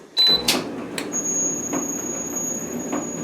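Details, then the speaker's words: Old Frigidaire dryer being replaced by a new LG unit, started on its start button; start chirp, then a thin steady high whine with soft knocks about once a second, an abnormal running noise; owner thinks it's probably something simple to fix. "can hear that you can hear that sound so um you know it's probably something simple to fix I don't plan to throw this away necessarily I will probably try to fix that and maybe sell it to somebody else or maybe donate it to a charity of some sort"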